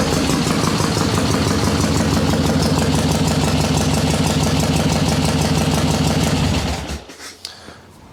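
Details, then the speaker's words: Cold Harley Ironhead Sportster chopper, choke on, fresh dry plugs, carb unchanged: fires in two kicks and lopes unevenly about three beats a second, lumpy and rich on choke, then shuts off; priming procedure suspected of flooding. "not to get this thing too warm right now cuz that's running on choke but all I changed I didn't do anything on the carb"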